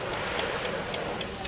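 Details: Chrysler 3.6 Pentastar engine running: light, crisp tick about four times a second, caused by a worn-out camshaft lobe and broken rocker arm; camshaft must be replaced.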